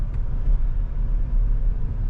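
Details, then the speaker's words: Mahindra Thar Roxx AX7L manual diesel 4WD on a road trip: after gearbox noise from shifting into 4H while moving, owner stopped, shifted to neutral and re-engaged 4H; now only even road rumble while rolling, no whine or clatter, drivetrain normal. "Rocky neutral करी four high अब भाई अभी तक तो आई नहीं"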